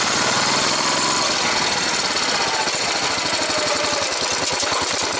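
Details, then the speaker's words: Replacement engine on a slow first-gear takeoff: even exhaust pulses rise gently over wind noise, with none of the old engine's warped-valve ticking and no bottom-end knock; a healthy engine. "alright let's listen to the stark difference now with the new engine as opposed to the old engine with all its issues that were looked you'll notice no knocking on takeoff"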